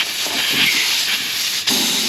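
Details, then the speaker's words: Steady high-pitched hiss of air escaping from a car tire puncture hole as a large nail is pulled out before plugging. "Try and grab that nail. You guys can already hear that air hissing out."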